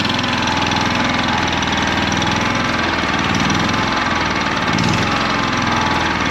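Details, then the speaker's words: 2019 Champion 100812 portable generator, used once then sat about four years, revived after fuel system and carburetor work; engine chugs slow and uneven at a low, rough idle; owner unsure if it should idle up under load. "It still ain't right. It It sounds like it's idling real low, but I don't know if the generator is supposed to idle up under load or not."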